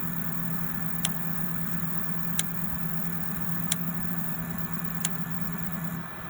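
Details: Sharp single clicks roughly every 1.3 seconds over a low, steady engine hum. Clicking noise; source unclear.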